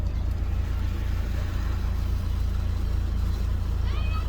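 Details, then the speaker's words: Diesel just started after priming air-locked fuel system (vacuum pump used while cranking): low, uneven chug about three beats a second, 'proper chompy' rough idle that should settle; later runs really well. "oh she is proper chompy oh she is proper proper chompy come on level yourself out"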